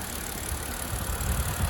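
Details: 2009 BMW Z4 E89 sDrive 2.3i (59 plate), six-speed manual, heard under the bonnet at warm idle: smooth, even low hum from the straight-six with no ticks, knocks or misses; starts beautifully, normal warm idle.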